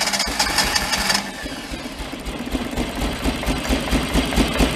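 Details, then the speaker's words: 2008 Mag XT Chinese work truck, two input wires possibly backwards: lumpy stumbling run, surging and sagging, only one or two cylinders firing, possibly a little flooded. "those two input wires could be backwards I I don't know so it's either gonna probably run on two cylinders or pop in fire see we get"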